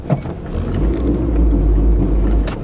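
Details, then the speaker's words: VW Golf Mk3 just after start: low, uneven rumble, idle wavering and never settling; running rough, cause unclear. "does not like that new one I put in yesterday not live in a little bit she's not happy today at all"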